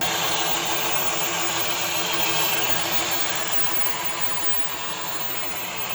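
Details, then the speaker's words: 2023 Kia Niro hybrid, 104,000 miles, driving forward and back. A loud, steady, harsh scraping from the dual clutch transmission. Failing dual clutch transmission, to be replaced. "Yeah, that loud scraping noise that's coming from that dual clutch transmission. So, we're going to be putting a new transmission in it."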